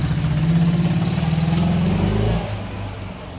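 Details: Ural motorcycle twin at idle: uneven low thumping with a light knock on each firing, fading as revs drop; someone wonders if generator brushes at low revs; cause unconfirmed; engine knock at idle.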